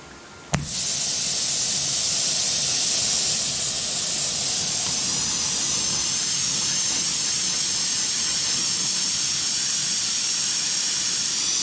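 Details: Homemade 10,000-watt oxyhydrogen electrolyzer torch at about 25 amps, 250 volts: sharp pop on lighting, then a steady, even high hiss with no sputter; flame burning normally.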